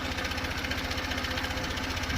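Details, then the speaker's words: 2023 Honda CB125F after cylinder head repair with silicone, heard after a 128 km ride: light, quick, even top-end tapping over the steady single-cylinder idle; cause not confirmed; bike had been smoking after rides. "So we'll have to see if we can sort out that tapping. Otherwise, the bike's been performing amazingly."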